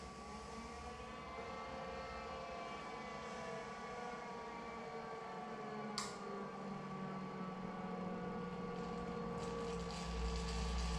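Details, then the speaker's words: Inkjet printer commissioning, jet restarted with phasing, errors and high-voltage deflection enabled: steady, even hum with constant high tones, no sputter; jet running into return gutter normally. "the next part is we're actually going to start the jet again so hit the start button and this will start the jet up"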